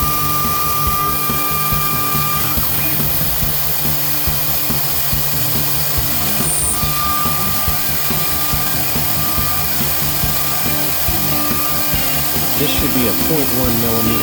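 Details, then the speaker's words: Newly installed VFD spindle upgrade on a Genmitsu ProverXL 4030 desktop CNC cutting metal with a non-coated bit, 2 mm depth of cut then a finish pass: steady high whine and even cutting hiss over music, no bogging; healthy cutting. "I didn't hear the motor bogging down or the spindle bogging down at all it sounded like a very smooth um cutting even at 2 mm"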